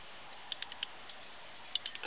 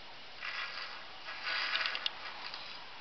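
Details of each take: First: Bicycle wheel after spoke nipples were adjusted to remove a minor lateral wobble: light hub ticking as the wheel coasts, with no rubbing or scraping. The wheel spins freely and runs true. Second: Bicycle wheel with minor lateral wobble, spinning after a first spoke-nipple adjustment pass: soft swishing scrape about once per turn as the rim still rubs the brake pad.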